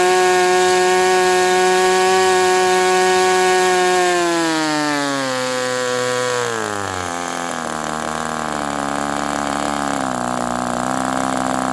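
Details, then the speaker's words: Sport 40 model airplane glow engine during break-in run: steady high-pitched scream, then sags and settles but stays around 4,000 rpm, won't idle lower though loosening up; owner suspects the air bleed screw is not set. "So about 4,000, and it says, no, I'm not idling any lower than that. It does feel like it's loosening up some."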